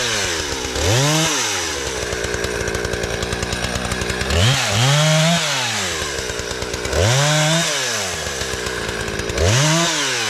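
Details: Husqvarna 455 Rancher chainsaw, after carburetor and fuel line repair and chain sharpening (previously died when throttled after years sitting), cutting a downed tree: revs up cleanly, bogs slightly into each cut, climbs back smooth and strong; healthy, no fuel issues.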